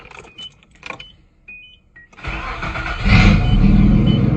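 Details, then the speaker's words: Nissan in neutral just after exhaust work at the cat, two bolts: engine catches after a few quiet clanks, then a deep, coarse, booming tractor-like drone with rev blips; open, very loud exhaust after exhaust modification. "oh yeah she's a tractor okay let's see how this thing drives sounds like a tractor grab my earmuffs just in case"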